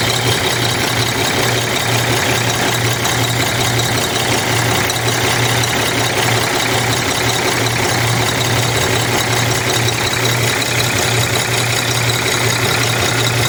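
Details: Cummins ISX 870 truck diesel at idle after injector replacement and overhead adjustment, fan running: loping, uneven beat, two to three stumbles a second under the clatter; owner says it still has a miss, cause unconfirmed.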